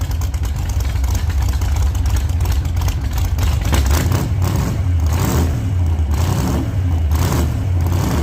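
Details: 1948 Chevy Fleetline small-block Chevy V8, 4-speed, test burnout after repair for pushrods breaking on first burnouts: deep loud steady roar surging under hard throttle and load, no knocks or clatter; normal healthy revving.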